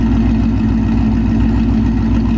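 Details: 2018 Mustang GT Gen 3 Coyote V8 just fitted with Comp stage 2 NSR cams, oil pump gears and crank sprocket, plus long tubes, catback and tune: deep, lumpy, even idle lope, no ticks or knocks; oil pressure and fuel trims good.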